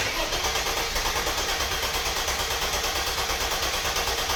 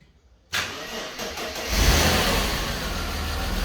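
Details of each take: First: Mercedes W124 E320 convertible, M104 six-cylinder non-runner, after harness work: steady starter cranking about three turns a second for six seconds, never catches; no fuel delivery, fuel pump not running, relay also suspected. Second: Mercedes W124 E320 convertible, M104 six-cylinder, after fuel pump was jolted with battery power: cranks briefly, catches at once and settles into a steady, even idle; starts healthy, fuel pump likely the fault.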